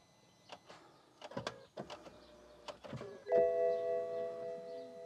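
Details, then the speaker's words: BMW 760Li V12, after both fuel filters were drained, system dry and fuel low, ignition cycled to prime the in-tank low-pressure pump: a few soft clicks, then a steady, loud electric hum; normal priming, no leaks. "pumping fuel i can hear it sounds very loud i just want to check that's not actually leaking on the floor"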